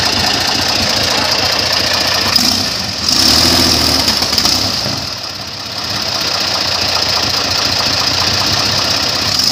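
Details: Airboat engine under load and cold: loud prop roar that sags and surges twice in a few seconds, misfiring under load from a sticking carburetor float starving fuel. Crew also questions blade pitch.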